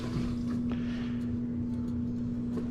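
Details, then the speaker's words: Frigidaire PLD2850RDC2 dishwasher after drain pump replacement, first power-up: constant low steady hum, no rattle or grinding; new drain pump running normally. "the first sound we heard was the new pump"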